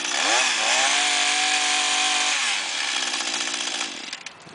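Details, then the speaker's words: Echo S22 two-stroke trimmer that would start but not rev, after cleaning the exhaust/muffler: the buzz climbs quickly to a high, steady pitch and holds without bogging or surging, now revving and running properly. "всё наша коса работает в отличном режиме"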